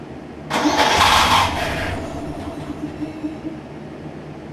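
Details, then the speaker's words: Circa-2015 Snapper rear-engine rider with push-mower-type engine, barely used and long stored, after carb clean and fresh fuel: cranks briefly, catches quickly and settles to a steady even idle, smoothing out; owner thinks it just needs run time; normal start and idle. "uh getting better starting to smooth out some that's good um honestly i think this thing just needs some run time"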